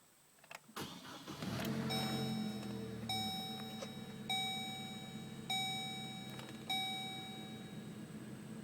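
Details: Chevy Colorado with an intermittent no-start: a short crank, then it catches and drops to a quiet steady idle under a repeating chime; it runs this time, but the no-start cause is unknown.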